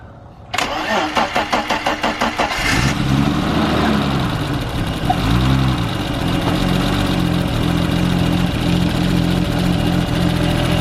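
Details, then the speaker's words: 1989 BMW 325i E30 first start after replacing the cracked oil pan and gasket, oil pump shaft fitment uncertain: cranking, then rough idle with a heavy, rapid rhythmic knock; oil pressure appears present, source of knock unknown. "Go up there in case she knocks. Knocks like a demon."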